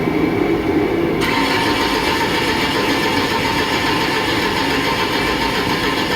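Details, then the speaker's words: Engine with a 2-wire variable reluctance cam and crank sensors, no-spark case tested by scope: steady cranking churn, never starts; good cam pulse but no crank signal, crank sensor needs replacement. "okay see a good cam pulse so we have a cam signal and no crank definitely needs a crank sensor"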